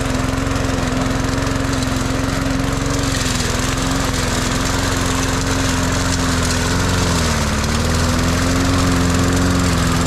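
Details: Cheap Walmart push mower, mowing a track; steady buzz that sags briefly in thick grass, then recovers cleanly; a healthy engine pulling its load.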